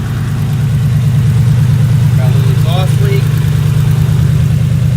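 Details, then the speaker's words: 2005 Ford Explorer 4.6L V8 idling briefly with the accessory belt off: steady, even low rumble with no ticking or knocking from the timing cover area; the earlier noise is confirmed as coming from the accessory drive, not internal. "no noise from the timing cover area that's how quick it can be to diagnose and pinpoint the noise on these engines"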